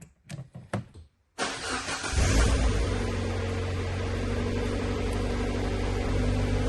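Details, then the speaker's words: Car started with a Topdon JS3000 portable jump starter, car battery isolated under a cloth: a few clicks, short crank, then it catches at once and settles into a smooth, steady idle. Normal engine start. "So that posed no problem at all."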